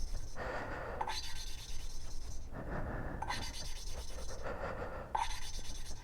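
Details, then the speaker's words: 1983 Suzuki GS1100E inline-four motorcycle engine, valve being hand-lapped with lapping compound instead of a drill: soft rhythmic rasping grind fading as the compound grit gets finer and the valve seat nearly mates. "you want to make sure that you don't really hear that noise anymore that grinding noise because like i said the more you grind on this the more finer the grit gets i'm starting not to hear it"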